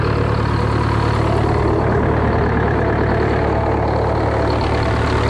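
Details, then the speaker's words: Roughly 50–60-year-old GM 4-71 supercharged two-stroke diesel (about 160 HP) on Frick sawmill, cold start before secondary fuel filter change, 48 psi oil pressure: even, fast, buzzy idle with steady beat, no misses or knocks; normal cold idle while warming. "just get a little bit of heat in the block and once I get a little bit of heat in the block and it'll be happy camper and it'll probably start up very well when I change a filter"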